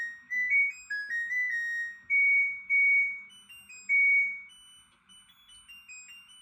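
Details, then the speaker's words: LG washing machine completing its diagnostic self-test cycle: bright electronic melody of stepped beeps in a quiet room, display then shows zero, meaning no errors; normal end-of-cycle completion melody. "All right, here's the test. It's going to complete the cycle and let's see uh what it says."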